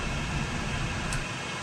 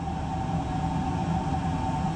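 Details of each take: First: Fuel oil furnace burner on trial for ignition after confirming oil reaches the burner; heavy, steady roar with deep rumble as it lights, air-fuel mixture suspected off and carboning up — rough burner firing. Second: Oil-fired whole-house furnace after filter change and cleaning, boiler pressure rising to 30, pipes warming: steady, even roar with low hum and clear mid-pitched tone — normal oil burner running.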